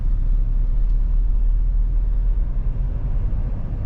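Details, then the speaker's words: Mahindra Thar Roxx AX7L manual diesel 4WD, 4H re-engaged after stopping in neutral (shifting while moving caused gearbox noise): smooth low road rumble at speed with no gear whine or clunk, drivetrain now quiet and normal. "अब कोई sound नहीं है।"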